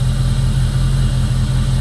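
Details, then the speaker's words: 2002 Jeep Grand Cherokee 4.7 HO with a history of melting coils and misfires, seven new coils and eight new spark plugs: steady, even low idle with no stumble or knock. Normal idle. "So, right now she's running pretty good."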